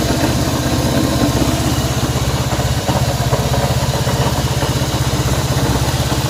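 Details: Honda CB190R single-cylinder engine at idle: steady, fairly regular tapping over the exhaust beat, about three per second; strange engine noise, source not yet found.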